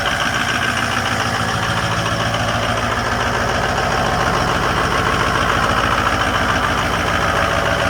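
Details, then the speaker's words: Ford F250 with 6.0 Powerstroke diesel, cold start in winter after sitting three weeks: fired right up after a slightly slow start into a steady, even clatter with no misses or surging, just the usual injector tick; healthy cold idle. "That was a little slow, but that sounded good. Just fired right up."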